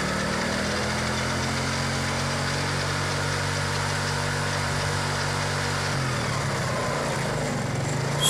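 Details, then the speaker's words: Carbureted older Yamaha Mio Soul scooter after repair of a slight whining/rubbing noise from the final drive (gardan): even, steady engine hum, the earlier rubbing sound gone. "seperti gesekan tadi sudah hilang"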